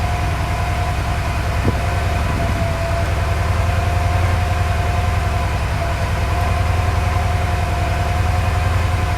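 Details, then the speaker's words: Porsche 928 whose mixture is way off after a road drive, during mixture adjustment with a timing check planned: a steady low idle with a lumpy pulse and dropped beats, missing a lot, worse when accelerating. Misfire. "it's still missing though I can hear it I'm so reach out of it so it's missing a lot like when I um accelerate that way"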